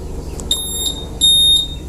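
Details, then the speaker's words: Honda Vario 150 with total electrical failure, ignition switch/relay swapped for a used one: two short high beeps then one longer beep at key-on; normal power-up chirp, electrics restored. "Bunyi ya. Harusnya memang bunyi seperti ini."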